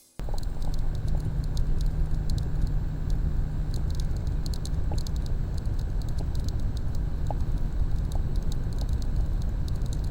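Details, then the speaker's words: EK Quantum Kinetic TBE 300 pump/reservoir combo in a PC water loop, making this noise for about a week: steady low rumble with scattered fine ticking and rattle; owner suspects something stuck inside. "that is my ek quantum kinetic tbe 300 pump res combo it has been making that sound for about a week now i'm assuming there's something stuck in there"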